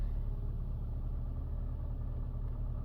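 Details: 2013 Nissan Sentra after a no-crank no-start fault, battery trickle-charged, key-fob detection issue: low, steady rumble with an even beat and no knocks or misses; normal idle.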